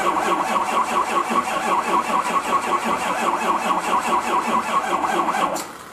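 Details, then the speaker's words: Truck that has not run since November 2016, cranked after a hot no-start repair with the turbo intake duct refitted; steady cranking at about 2.5 turns a second for five seconds, never firing. "all right I got the battery charger on it and I got it tied into the other battery on start so hopefully we can get it going"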